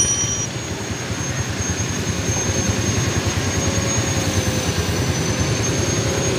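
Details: Yamaha Vega/Python small single with AC ignition, after an electric starter fix: the weak battery was the fault, the starter brushes were not extending, and a thicker cable now runs from battery to starter. Starter catches and settles into an even, steady idle; normal start and idle.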